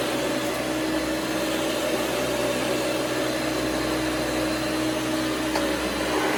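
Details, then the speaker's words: Hoover Elite vacuum running right after its fan was replaced, to check it works. Steady motor roar with a thin, faint squeal riding on top now and then, from the brush roller. Slight brush roller squeak. "that brush roller does have a little squeak to it, but anyway, as you can see, it's not too hard of a job to do."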